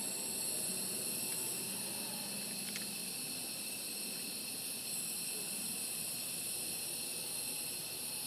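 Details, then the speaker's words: Harbor Freight air blow gun leaking in the workshop during carburetor reassembly on a 2015 Yard Machines mower: constant thin hiss over a quiet background; compressed air leak. "my air gun is leaking my Harbor Freight air gun you can hear that air leak in the background"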